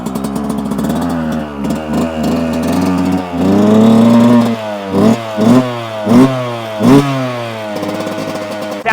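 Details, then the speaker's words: 2024 Yamaha YZ125 two-stroke dirt bike, warmed up until heat felt at the muffler, after changing the pilot jet to fix persistent jetting issues: steady idle then quick throttle blips rising and falling cleanly, crisp, clean free revving. "nice and crisp I like that"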